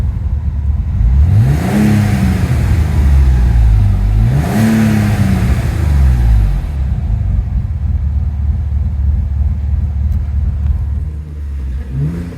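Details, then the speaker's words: Alfa Romeo GT V6 with a performance exhaust: an even, steady idle with two quick rev blips that drop back cleanly and no stumble; all six cylinders fire properly. "yeah the idle's fairly smooth because he's got the performance exhaust on it you can't quite hear the engine node that well"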